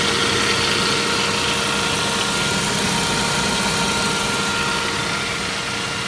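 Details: Saab 9-5 Aero idling with a steady whirring tone and light rough chatter. The service shop first suspected an oil filter in the sump; it turned out to be the water pump.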